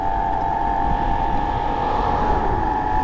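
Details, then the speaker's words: Bafang BBS02 mid-drive motor run on 72V after damage, riding at about 800 W peak, temperature rising toward 50°C cutback: steady high whine under heavy wind rush, motor loud under load; cause not yet found. "it's making some noise so what happens when I shift it in so it's the temperature is increasing"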